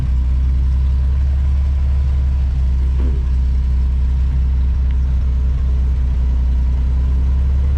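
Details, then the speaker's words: 1979 Ford F100 300 straight-six, parked since 1992, rebuilt with Holley 390 carb, Offenhauser intake, Hedman header and dual exhaust, about 50 miles driven: deep, steady, even burble with no knocks or misses; idle still needs adjusting. "Still have to adjust the idle a little bit. But besides that, it's running great. Sounds really cool. Sounds like a bunch of bees when you get on it."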